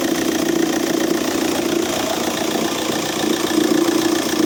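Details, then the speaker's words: Audi A3 8P 2.0 TDI (BMM) diesel idling: a loose, uneven knocking rattle up front, about three per second, resembling a failed dual-mass flywheel; the actual cause is a seized alternator overrunning clutch pulley. "Обгонная муфта на генератор заклинила и звук такой на первый взгляд, как будто двухмассовый разлетелся или ещё что-то."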